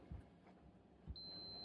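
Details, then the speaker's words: Ryobi One+ 18V battery charger that stopped working, taken apart to test its fuse with a multimeter: after a couple of probe clicks a steady high-pitched continuity beep holds on, so the fuse is intact. "So, I'm going to do a continuity test. My trusty Radio Shack multimeter. You hear that? makes a nice high pitch beeping noise when there's"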